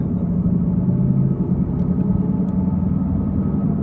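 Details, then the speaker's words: Chevrolet Cruze on test drive: loud, steady low roar from a badly worn driver's side front wheel bearing, louder when turning right and quieter turning left. "that roar that really loud kind of roaring noise you're hearing that is a wheel bearing"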